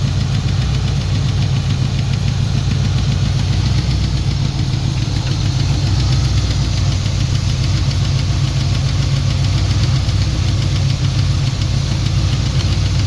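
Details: Turbo Trans Am during break-in after partial overhaul (new cam, new turbo, valves set to zero lash). Heavy low rumble with a faint repetitive knock appeared after about 15 minutes. Valvetrain ticking; excess valve play was later found, hydraulic lifter suspected.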